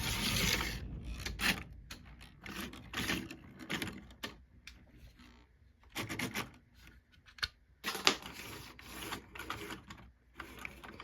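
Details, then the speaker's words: $2 used HO-gauge model locomotive running: rough, rasping bursts stutter and fade as the motor bogs and stalls. Owner suspects it needs gear oil and a motor cleaning; grinding before stalling. "it does need oil again it probably needs a good motor cleaning honestly again yeah definitely needs some oil in the gears and it definitely needs a motor cleaning"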